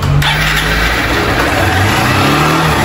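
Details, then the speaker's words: Honda Fan 160 motorcycle engine: revs hang high instead of dropping back to idle because the throttle cable is sticking and needs replacing. "Vem seu cabo de acelerador aqui tá agarrando, tá? Tem que trocar rapidinho."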